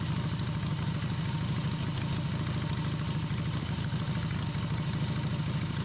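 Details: Harley V-twin in an off-road trike build, first run after the owner's own engine rebuild. A loping, even idle holds on its own with no misses or knocks, with a carb fitted. It ran after the ignition timing was significantly advanced; normal idle.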